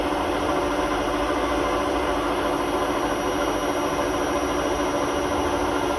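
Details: Hotpoint WMA32 washing machine at 800 rpm final spin with bad drum bearings due for replacement: a constant gritty roar with a low rumble underneath throughout the spin, plus a horrible squeak.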